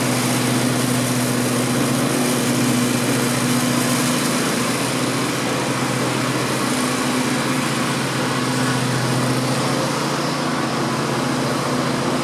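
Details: 16 hp Vanguard V-twin on a Grasshopper zero-turn mower after a no-spark fix: steady, even drone with no stumbles, knocks or surging while fogging oil burns off; normal idle.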